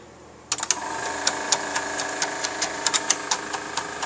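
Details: GAF 3000S Super 8 sound projector on a film test after its blown halogen lamp was replaced, amplifiers running: even, busy mechanical chatter over a steady light hum, no grinding or hesitation. Normal running.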